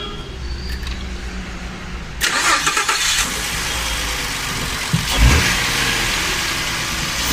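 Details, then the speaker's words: Ford V6 EcoBoost gasoline engine: crank catches, then a harsh clattery rattle rides over the idle; same noise seen on 1.6 inline-four chain engines. "como logramos observar es un ecobús presenta una condición de un ruido que es bastante particular sus ha sucedido en otras motores en otros vehículos ya sea motores también 4 en línea 1.6 con cadena de distribución"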